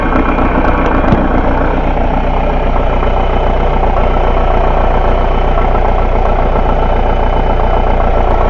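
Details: Chrysler Grand Voyager 2.8 CRD diesel, which cuts out in cold weather, running at idle during a pressure relief valve test with the return pipe capped: loud, even diesel clatter at steady idle with no misses or knocks. It runs normally, and the relief valve is working fine.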